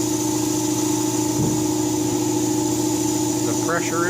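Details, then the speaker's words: Beverly's Hillbilly 32 air compressor on 220 volts after replacing its rusted, leaking tank with a bigger one; steady even motor hum and constant pump drone, no knocks or surging. Normal compressor run. "lot bigger knife in the old one it will take longer to build pressure but volume is a good thing"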